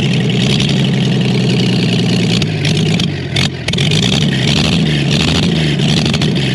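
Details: Chevrolet Blue Flame stovebolt six, long-sat engine out of the truck, first test run with a sink instead of a radiator, thermostat opened manually, thicker coil-to-points jumper wire: deep steady drone with one brief dip, no knocks or misfires; running normally.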